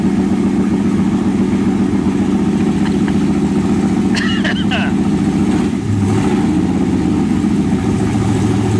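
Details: 1923 T-Bucket kit car, just started cold: idle hunts and stumbles, the rumble sagging and picking up as it fights to stay lit; owner says it needs choke.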